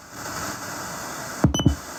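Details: Sony SRF-M35 radio Walkman bought in 2001, set to FM indoors and played through a speaker: constant hiss with no voice or music and a few button clicks; no station received.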